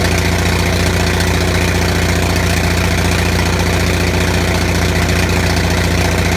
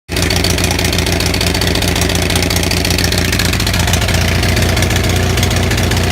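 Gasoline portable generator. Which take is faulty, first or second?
second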